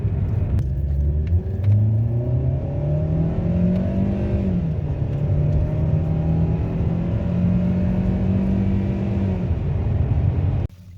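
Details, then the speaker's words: 2010 Hyundai Avante MD on a road test after fitting a new genuine knock sensor and new spark plugs: smooth engine drone rising with throttle, no knocking. It previously had knocking, weak power, high fuel use and a check engine light; power is now excellent. "بالنسبة لعزمها أمورها ما شاء الله 100%. عزمها ممتاز جدا، فرق كتير واضح بالنسبة لكيف كانت وكيف حالتها"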